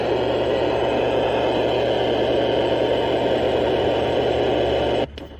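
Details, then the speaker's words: Tempest multi-band radio from scrapyard: steady hiss with low hum even with the volume off, then cutting out abruptly; noise with volume off, cause unclear. "An interesting sound effect, though. Oh, that's with the volume off."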